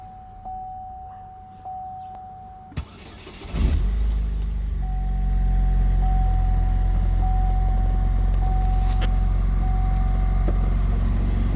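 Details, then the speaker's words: 2008 Pontiac Solstice GXP cold start after sitting an hour: faint whine and hiss over cold idle, fades once warm near 100°, returns on throttle, gone at 194–205°; no power loss or check engine light; cause unknown. "can anybody tell me what that noises it initially starts when I turn on my car and it goes away if you get warmed up"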